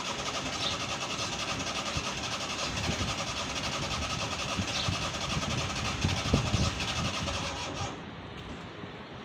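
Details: Old Suzuki Mehran petrol car cold start: long rough cranking with pedal pumping, catching unevenly with ragged stumbling misfires and smoke.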